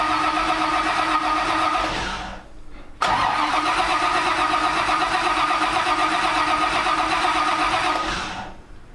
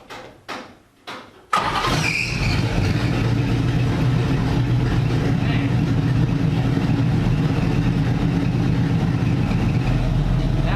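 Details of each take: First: Supercharging-project NASCAR with a Pro Billet MSD distributor and a 23-year-old MSD 6T ignition box and Blaster coil. Two long bursts of steady, whirring starter cranking never catch, though a tach signal is present. Cause: the distributor cap was not fully seated, leaving a gap. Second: NASCAR V8 after swapping in MSD Blaster 2 coils, timing backed from 16 to 14 degrees initial: starter turns, engine catches and settles into a loud, steady, even idle with no misfire or popping; the coil swap fixed the problem.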